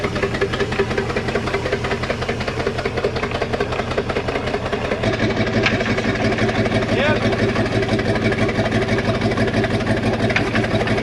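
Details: 1992 Sea Ray 38 SS port Mercruiser 7.4L MPI L29 V8, first start after sitting about five years, at low throttle: low loping idle, uneven beat about ninety pulses a minute, holding steady; idling normally.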